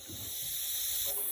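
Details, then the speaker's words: Domestic central-heating radiator, isolated via TRV and lockshield and drained to fix a leak, now being refilled: steady airy hiss rising as water pushes trapped air out; normal air venting during refill. "So now you can hear the air filling it back up. The air filling it back up, the air being pushed out as the water fills up the radiator again."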